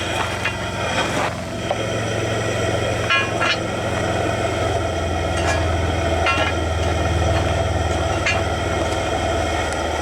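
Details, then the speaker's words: Soule steam engine, first run in years on low steam from a small boiler, running poorly: steady low chuffing with an uneven knock about four times a second; loose counterweight lead rattling in the crank, owner may fix with a screw. "Well, I wish I'd done something about my lead in there now. I'm beating around. I could put a screw or something in it, I think."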